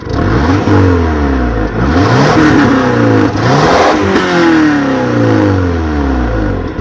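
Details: 1996 Subaru Outback, engine a little warm, revved several times: pitch rising and falling cleanly, no knock or tick; sounds healthy.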